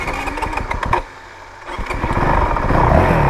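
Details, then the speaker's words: 2022 Honda CRF450RL dual sport ridden around town: single revs hard, then a sharp throttle drop on downshift brings crackling exhaust pops before it picks up again; backfire on decel. "so I feel like it's pretty critical to do RPM match downshift thing backfire a bit so"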